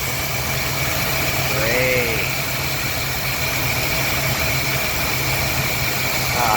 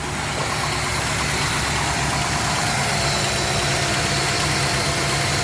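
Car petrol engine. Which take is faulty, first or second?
first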